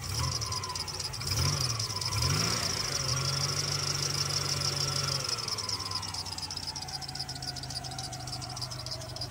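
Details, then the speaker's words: Old GM V8 that overheated badly with gauge pegged in the red, coolant-soaked belt: after a brief rev, a faint tapping knock over the idle with strong hiss and new accessory pulley noise, water pump suspected; cause unconfirmed. "Oh, it's knocking too. You hear that? A little tap."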